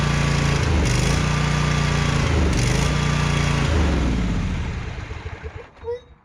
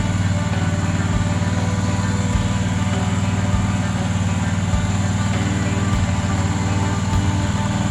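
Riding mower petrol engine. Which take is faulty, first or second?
first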